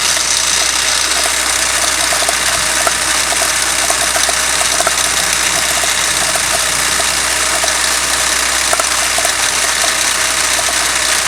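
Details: Toyota 5A-FE engine at idle: sharp light ticks repeating steadily over a hissy running engine, from play in the crankshaft gear key behind the pulley.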